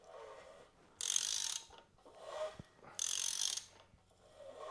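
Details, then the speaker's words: Seized 1973 Honda CB750 four-cylinder turned slowly by hand after soaking cylinders with ATF: gritty scraping bursts about every two seconds, crunchy and stiff in spots; partly seized engine. "feels a little kind of crunchy in there. But oh, right there, a little stiff."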